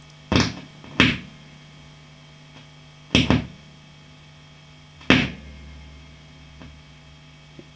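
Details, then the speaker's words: Marshall JTM45 MkII model 2245 guitar amp, warmed up: loud crackling bursts come and go over hum as the valve is pushed one way, calming when pushed back; fault in the valve base connections. "i'm just holding the valve slightly tensioned towards my thumb and you can hear all that racket push it back that way and it all calms down so that's something to do with the connections on the valve bay"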